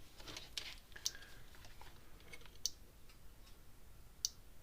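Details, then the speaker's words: Gallagher S20/S50 fence energizer after transformer replacement: crisp single clicks about every 1.6 seconds, pulsing evenly; output back to nearly 10,000 volts, normal operation. "Okay, clicking and pulsing again like it's supposed to."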